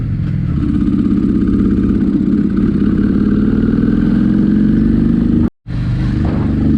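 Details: Honda Shadow twin riding after mixture screws set about three turns out: uneven, lumpy exhaust beat, slowly climbing pitch, sharp pops; running rough and backfiring, cause unclear, owner plans going to three and a half turns.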